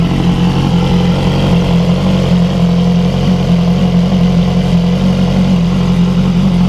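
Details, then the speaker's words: BMW S1000R with S1000RR exhaust headers fitted, Cobra exhaust, started outside after install: loud, steady inline-four idle, smooth even throb, no knocks or rattles; loud but not obnoxious, healthy. "the bike is now pretty loud it's not obnoxiously loud but it's loud"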